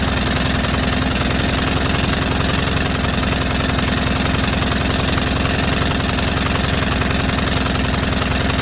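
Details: White Outdoor LT542G riding mower twin in a cold shop, running rough, drinking gas and putting fuel in the oil: a busy, uneven chuffing that never quite settles into erratic running. The carburetor main jet was found missing.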